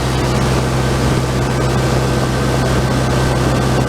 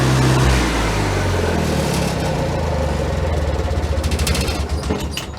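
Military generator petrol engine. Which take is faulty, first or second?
first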